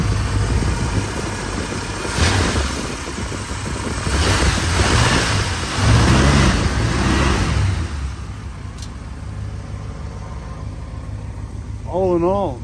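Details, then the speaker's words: First-generation Dodge truck (snow-fighter rehab project) idling in the shop after a reluctant cold start: steady, even low idle with regular beat, no knocks or misses; sounds healthy. "so let's listen to this old girl purr bird bath very nice"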